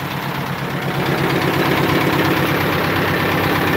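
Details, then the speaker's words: Diesel engine idling after the primary and secondary fuel filter change, with the air now purged from the fuel system and the last filter still to change. A steady, even clatter with no stumbles or hunting; normal idle. "so it looks like we got the air out of out of the system"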